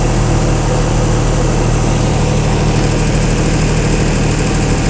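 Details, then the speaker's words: 225 Chrysler Slant 6 generator set fitted with a Holley Sniper EFI, first start via starter button: deep even steady rumble at about 700 rpm idle with no knocks or misses; good start, normal idle. "that was a pretty good startup huh engine RPM 700 something"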